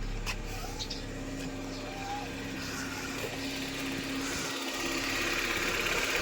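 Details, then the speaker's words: Honda Civic petrol engine idling smoothly and evenly with no knocks or misses after a computer box (ECU) fault was found; check engine light now off, idle around 1,000 rpm after adjustment, earlier complaint was high idle. "kung makikita niyo wala ng check engine yung menor niya 1,000 pero nag-adjust kasi tayo."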